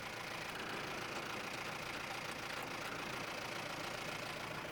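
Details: Mahindra Roxor turbo diesel, idling after a Dirt Legal intake retaining bracket was fitted to stop overboost intake leaks: a steady, even, smooth idle with no knocks, hiss or surging. The owner says it sounded weird before and suspects the leak caused it.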